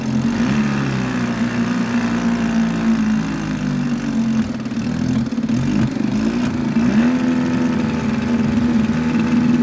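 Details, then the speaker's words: 1952 Scott Atwater-built Firestone 10hp two-stroke outboard, converted from gravity feed to pulse fuel pump, new impeller, seals and plug wires, original pump diaphragm, cold day: buzzy steady running with brief dips and an intermittent lean sneeze; owner suspects top crank seal. "got a lean Snee this might be the top crank SE I'm waiting for that to come from a guy in watching her uh Wisconsin actually"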